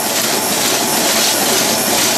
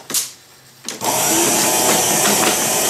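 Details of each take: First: 1930s antique horse-racing payout slot machine running mechanism: loud metallic clatter with a wavering rhythm, as an out-of-line welded or brazed wheel wobbles and fishtails with a slack, hanging chain. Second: 1930s Paces Races horse-racing payout slot machine, previously restored, running a race: steady busy whirring with a quick regular clatter about three or four per second; the race mechanism runs evenly and sounds right.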